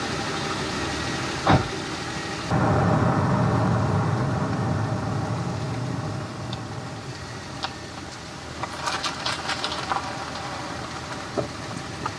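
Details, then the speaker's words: Nissan Elgrand E51 with worn front anti-roll bar drop links, driving over bumps and coming off steering lock after a bend: scattered sharp clunks from the front corner over road rumble, drop link ball joints knocking. "around a bend and then taking that lock off will cause the bet the ball joints to move and knock some more so i don't know how much that you can hear but for me that's really obvious"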